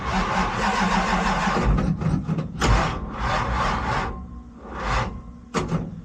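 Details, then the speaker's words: Project Scimp car, battery just charged and reading almost 13 volts, throttle pumped twice: slow, uneven cranking bursts that drag and fade without catching; battery already dead, jump box needed. "Yeah, what do you know? It's already dead. I'll try jump box."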